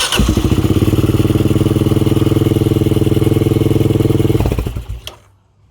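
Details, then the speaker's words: Kawasaki single, first start after a doohickey (balancer chain tensioner) replacement with the Eagle Mike kit: hard-edged steady beat, about four per second, then shut off; sounded odd, owner suspects over-tight chain tension. "Turn the fuel on and crank her over. Whoa, okay. That sounded odd. What was that all about? Maybe it's just sound of tight chains."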